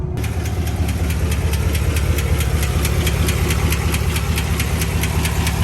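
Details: 2021 Chevy Silverado LT Trail Boss 6.2 V8 at about 5,177 miles, no check engine light: loud, sharp metallic ticking at about 136 a minute over a rough idle; owner suspects a dropped lifter, truck towed to dealer.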